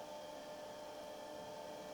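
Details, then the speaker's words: Laser XT Turbo clone with Seagate ST225 hard drive: quiet steady whine from the spinning platters with a faint even hum, no clicks or scraping; drive spun up and running normally. "oh it sounds like it's working it sounds like it's working it actually is working wow"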